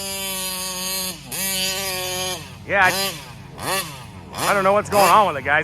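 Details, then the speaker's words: Taylor 35cc reed two-stroke on a Kraken Vesla, air filter clean: it surges and sags at high rpm and won't get on the pipe, acting lean and dying; owner suspects carburetor fuel starvation, possibly a plugged screen. "it just doesn't sound right and it won't get up on the pipe and this air filter is not dirty or anything"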